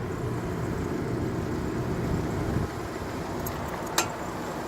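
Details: 2003 Lexus ES 300, passenger side: road and engine rumble with a few faint ticks, then one sharp click during a slow tight U-turn, a defective CV shaft.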